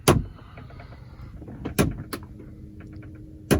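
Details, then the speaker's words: 2004 Lincoln Navigator rear HVAC, cabin: occasional loud clunks a couple of seconds apart when rear temperature is turned hot to cold, vibrating through the car, seeming from the roof; rear blend door actuator skipping. "We can hear it flickering. So I don't know if you can hear that. So when I turn it from hot to cold, it vibrates through the whole car."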